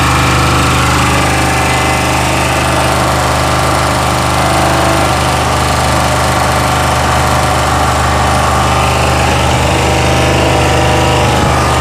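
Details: Chinese 2000-watt generator running at steady speed with a deep hum and an abnormal, rough, hammering clatter on top.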